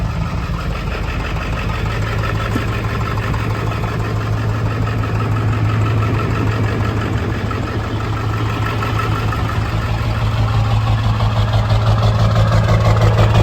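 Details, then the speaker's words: Ford 7.3L Powerstroke diesel idling after swapping a bad new ICP sensor; steady even clatter about three beats a second, no cackle, shudder or truck shaking, pretty smooth; injectors a touch lazy. "okay so you heard that idol it's a lot better it doesn't cackle it's not shuttering it's not the whole truck's not shaking like a rocking horse it's actually pretty smooth"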